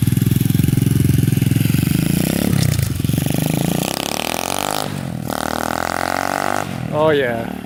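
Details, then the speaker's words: SSR 125 pit bike after pilot jet and carburetor cleaning, choke off, holds a quick, steady single-cylinder idle without stumbling; running properly, though it still needs tuning. "that sounds like it's ripping now we think Brandon better it's much better much better better"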